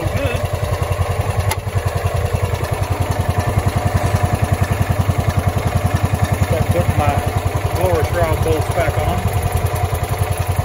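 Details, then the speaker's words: Kawasaki FE290D single-cylinder in a John Deere Gator, previously ran and died, bucking and backfiring; after fitting a new ignition coil it runs normally with a steady, even thump, firing cleanly with no misses. "guys we got the john deere going one more time put a new coil on it and that fixed the issue"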